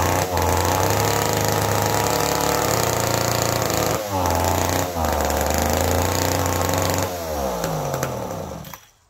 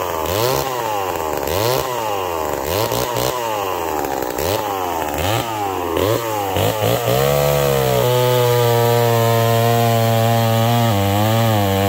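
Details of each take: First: McCulloch Pro Mac 1010 chainsaw, previously smoking badly, first start after rebuild with fresh fuel and both carb screws one turn out. A raspy two-stroke surges and sags, revs dipping and burbling unevenly before dying out. It runs rich and floods, with fuel leaking near the exhaust; cause unknown. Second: McCulloch Pro Mac 1010 chainsaw with a freshly sharpened chain. Revs rise and sag with each cut, then hold a clean, steady high scream with no missing. It cuts strong and healthy.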